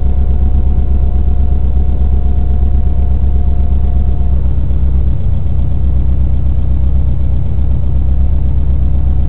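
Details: Built Subaru WRX EJ257 engine, heard from inside the cabin: steady rumble with a light regular tick about three per second, rising with revs, present at idle, light throttle and acceleration, gone on overrun; source near right-hand head, cause unknown.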